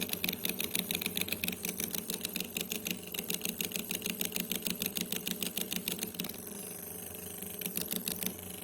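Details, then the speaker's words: Uher Report Mark 1 tape recorder: fast uneven ticking chatter about three per second over a thin motor whir; motor control board suspected, not confirmed. "this uh machine has a problem with the motor I don't know if you hear it it makes that strange noise"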